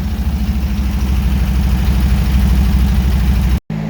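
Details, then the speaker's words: 1975 Porsche 914 after new points, condenser and dual Weber carburetor install, first start with no carb adjustment: fast busy idle well above normal; high idle from loose throttle linkage. "so without doing any adjustment to the carburetors it fires right up and I mean it's idling high uh the linkage is just loose"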